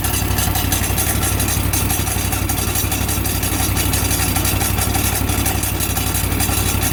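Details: Exmark mower with aftermarket blade clutch, about 15 hours since new, running steady: harsh rough mechanical racket over the engine, worsening; loud noise from blade clutch, cause unknown.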